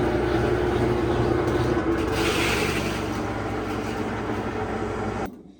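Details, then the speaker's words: GE top-load washer GTW220ACK in service mode after repair of a no-spin, loud-grinding fault (broken pieces, oil found, pulley reinstalled): steady motor hum and low churning rumble, normal spin and agitate; transmission suspected failing. "Agitate seems good."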